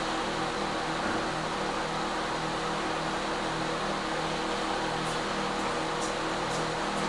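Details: Microwave/convection oven with a fault where turntable and light stay on while off, 4 fans: steady, even fan hiss and low hum with no rattle, scrape or grinding; fans running normally.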